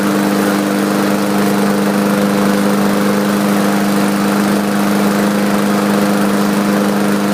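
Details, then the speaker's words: Craftsman 4.75 hp mower with a Briggs & Stratton carburetor, first start after sitting over a year and priming: a smooth, even single-cylinder hum with no misses; runs healthy, smoking from an overfilled crankcase. "so if you could see all the um smoke coming out of the muffler it did start by the way so that's a good thing"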